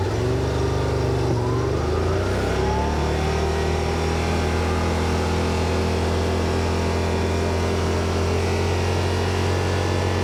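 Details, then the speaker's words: 2021 Yamaha Wolverine RMAX XTR 1000 4-seater, in cab accelerating (5750 RPM and ~100 dB at 30 mph): engine rises then holds loud, high steady drone; revs too high for cruising, noisy at speed. "413 it's obviously a little noisy in here uh I'm not sure how the mic's going to pick this up hopefully it does but uh it's noisy at speed"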